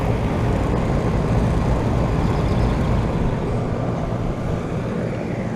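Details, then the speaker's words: 2012 Bryant Legacy air conditioner outdoor unit after spring cleaning: deep steady compressor and fan hum, compressor more audible, airflow better, with a loose buzzy cabinet rattle that is worse than before; source unknown. "that thing sounds much better that sounds much better than it did before although the only problem is this does rattle some more this does rattle though"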